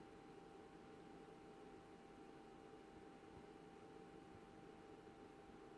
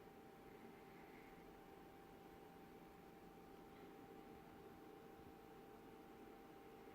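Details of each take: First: BenQ W2700 projector: soft fan rush at switch-on, then about 30-40 seconds later a thin, steady, mid-pitched whine, louder than the fans, persists as long as the projector is on; loud constant whine after start-up, cause unknown. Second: BenQ W2700 projector after start-up, fans running: quiet steady airy hiss with faint hum, no rattles, considered normal fan noise.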